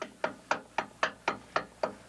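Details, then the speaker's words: Chrysler rebuilt torque converter being installed, turned by hand: sharp regular knocks about four per second as pump gears engage, showing the converter is fully seated. "there are two methods that I use to make sure this converted us in all the way one is to listen to the punk gears as I turn the converter"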